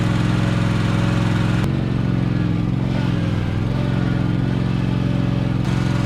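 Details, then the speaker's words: 2021 Toro TimeCutter zero-turn, used, which earlier shut off after 1–2 minutes (the owner wonders if that was because it was cold), restarted on choke with the cover back on: a steady, even low drone with no misses or stalls while mowing. Normal running. "all right so I was anxious to try it made a bunch of ruts in my property but that's okay so far it's still running so that's good"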